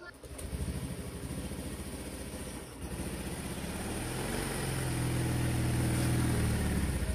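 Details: Freshly rebuilt Honda Scoopy automatic scooter engine, oil confirmed reaching the head, kick-started: it fires and settles into an even, steady low run that firms up after a few seconds, with no knocks. Healthy running.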